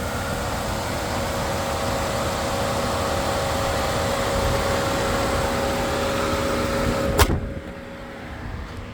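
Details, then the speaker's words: 2010 Dodge Grand Caravan 3.6 at idle, auction listed motor noise: smooth, even idle with a steady faint whine and no knocks or ticks before it cuts off; engine sounds all right. "Auction also said motor noise. I don't hear anything other than the motor running, which seems all right to me."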